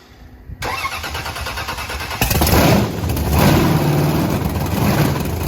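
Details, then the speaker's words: Supercharged (blower) V8 Camaro after repair: quick crank, then a loud, choppy big-cam idle with a blip and it runs fine; a slight misfire is still suspected, with a check for a cold exhaust pipe planned. "oh it still runs far right up sound sound really good it sounds good"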